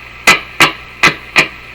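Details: 1950s Canadian Philips 922 multiband tube radio, powered at 114 V through a series bulb: four sharp crackling pops about a third of a second apart over faint hiss; a short in the tuning capacitor, with plates touching.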